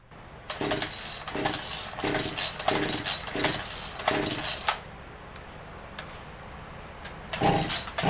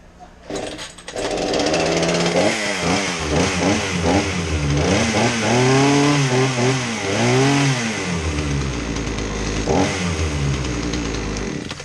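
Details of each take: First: Craftsman 18-inch chainsaw with fresh fuel, good spark and compression but flooding, choked: about seven ragged pull-cord cranking bursts with no pop or firing; a sheared flywheel key had thrown the ignition timing off. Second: Craftsman 18-inch chainsaw after repair of a no-start, flooding fault despite fresh fuel, good spark and compression: two-stroke blips up and down cleanly, pitch following throttle without stumbling; running healthy.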